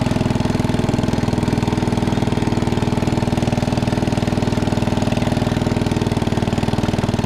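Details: 1961 International Cub Cadet Original tractor, 7 hp Kohler single-cylinder, driven after new tubes were fitted: steady thump at about four beats a second with no misses or knocks; healthy.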